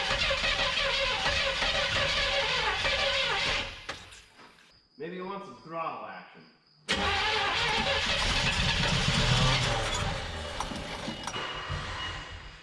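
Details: 1975 Chevrolet C20 Scottsdale squarebody, sat about nine years, first start attempt with Holley Economaster carburetor: steady starter churn about three beats a second with a short pause; engine spins but never catches.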